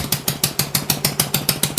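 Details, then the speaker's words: Honda Ruckus scooter with fabricated rear frame, first start at idle: sharp regular puff-tick about six times a second in time with the idle, exhaust leaking at a joint fitted without a gasket, visible gap. "It sounds like it's leaking. I don't have a gasket on that exhaust there. Oh yeah, there's a gap."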